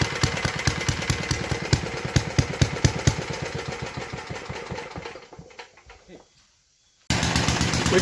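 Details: 1952 Clinton VS-700 single-cylinder push mower engine, revived after cleaning points, carburetor and a clogged fuel line, wheels and handle fitted; even popping around two firings a second, fading and picking back up, smooth steady running at idle.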